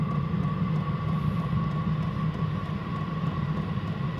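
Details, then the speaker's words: Chinese diesel heater on its first start, not yet installed, cover still on top: steady mid-pitched fan whine over a soft low rumble as it builds up to full speed, running even; normal operation. "It's now building up to full speed."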